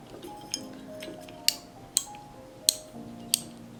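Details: Repaired 3-way hurricane lamp with worn contacts replaced: sharp, clean single clicks about every half second, each crisp and even, with faint music behind; the switch steps through positions properly.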